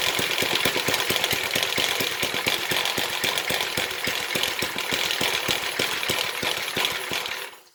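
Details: 1970s Briggs and Stratton single-cylinder rotavator engine, revived after about 3-4 years unused, full throttle: fast steady chatter holding speed until shut off; running as it should.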